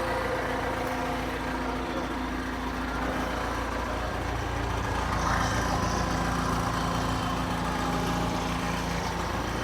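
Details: 1991–92 John Deere 455G track loader diesel: settles into a steady, even low rumble with constant rhythm, no knocks or misses; running normally.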